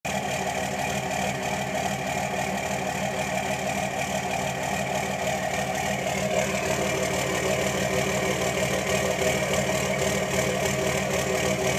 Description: 2006 cummins rough idle when warm